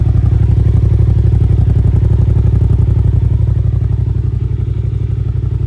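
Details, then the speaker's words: 2008 Yamaha TDM900 twin, 163,128 km, light drop damage, apparently aftermarket pipes; starts and idles beautifully with a deep, even exhaust rumble at about three beats a second, steady with no knocks; healthy idle. "Starts and runs and idles beautifully. Motor sounds good. Nice deep rumble from the pipes as well."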